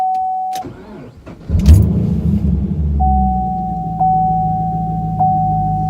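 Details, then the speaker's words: Camaro after replacing the blown fuse shorted by MAF harness rubbing on power steering pulley (aftermarket AEM intake): brief crank, catches at once and settles into steady, even idle with no stumble. Normal start after repair. "Start right up. Let's try it again."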